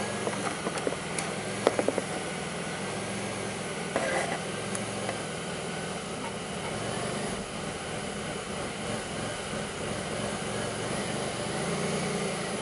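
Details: 2002 Pontiac Grand Prix 3800 V6 with a rough, bogging idle, no check engine light and an overheating alternator, logged with Torque OBD2: an uneven idle with a few dull thumps early over a steady drone; faint intermittent thumping pulls the idle down, cause not pinned down.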